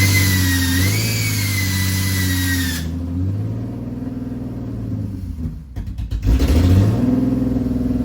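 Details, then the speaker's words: Nissan 300ZX drift build, first start after fitting exhaust mid pipe: thin high scraping whine rising and falling with revs; flywheel still rubbing slightly on bell housing despite earlier fix. "Battery's on. Let me shut it. Turn the key. Fuel pump engaged. That fucking flywheel's still rubbing a little bit."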